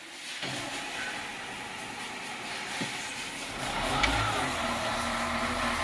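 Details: CAT 950H wheel loader diesel with error codes 36-274-4 and 30-428-3: rough, uneven stumbling beat and wavering revs instead of a steady note; unstable running like a misfire.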